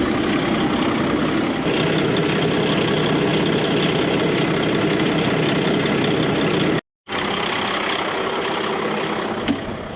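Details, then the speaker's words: Farm truck idling in the field at harvest with air pressure not building: a steady hiss rides over the even diesel idle, an air brake system leak that is audible but not located. "k so we've got a problem our air is not building in the truck meaning we've got an air leak somewhere that's got to be fixed"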